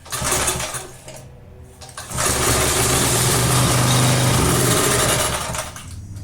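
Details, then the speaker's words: Roadside tiller, thought to be a 1991 Texas garden tiller with a Briggs & Stratton engine, stood unused for years and started on fresh fuel with choke. It fires, surges unevenly and dies; owner suspects it isn't picking up fuel and plans to strip the carburetor and tank. "so well I don't think that it's picking up the fuel so I guess we're taking apart the carburetor and the gas tank"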